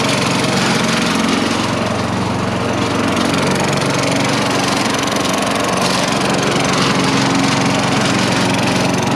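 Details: Craftsman 4.5 HP four-stroke lawn vacuum engine that previously ran only 5-10 seconds then died, now after the fuel-fouled spark plug was cleaned: even, steady drone with no stumbling, surging or dying out.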